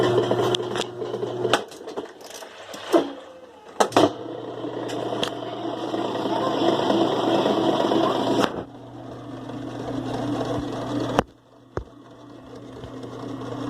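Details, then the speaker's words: 2005 Kenmore 70 Series direct-drive washer running on slow spin with the water pump disconnected: steady low motor hum, a few light clicks, no rattle; the noise is gone, so the pump, likely dirty inside, is the culprit. "voy a quitar la bomba pero voy a probar sin bomba del agua no tienen tan ruido pero sin la bomba no tienen ruido"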